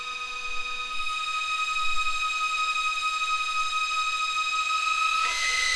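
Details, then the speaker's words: Audi 2.2 Bosch K-Jetronic, five new old-stock Bosch injectors tested out of engine by raising sensor plate through idle, half and full throttle: steady hissing whistle stepping in pitch with flow; identical even spray in all five. "absolutely spot on and you can hear from them from the noise of them as well they have a different pitch at uh you know idle half throttle and full throttle and the spray pattern was identical in all five"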